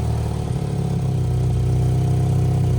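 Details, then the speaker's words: Budget turbo Mazda Miata, cold idle before warm-up: very low, slow idle with a puffing tick on each firing pulse; exhaust leak somewhere still unlocated, owner expects it may seal once warm. "oh man all right well still definitely they definitely have an exhaust League somewhere still which is incredible"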